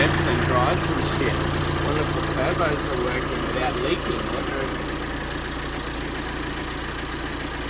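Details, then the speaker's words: VW Amarok first start after cracked cylinder head replacement: even idle with a regular pulse of about three and a half beats a second, no dash warning lights, no knocks or misses; normal idle. "has your lights on the dash nothing none it sounds like it's running fine"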